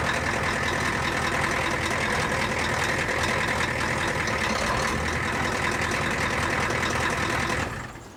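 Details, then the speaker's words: Ford F350 diesel idling cold: loud, uneven clatter with an irregular beat, then the engine dies; raw diesel smell, oil pressure had dropped earlier but recovered. Rough idle, owner suspects a bad injector, not confirmed. "raw diesel. Yeah, I think that's an injector."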